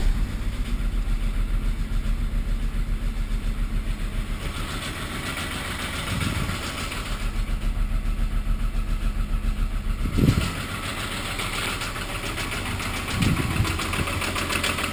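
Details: Mk3 Golf VR6 petrol engine idling with a steady, regular bad knock of about three to four beats a second while the oil light flashes; cause not confirmed.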